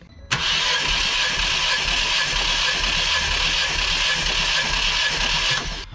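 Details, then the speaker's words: Ford Fiesta ST180 with blown engine, compression test cranking (cylinder one showed no compression, another about 140 psi; gauge O-ring apparently blown out): five seconds of steady, even starter cranking with constant pitch, no odd hiss. "Actually, that noise wasn't so bad when I was cranking then."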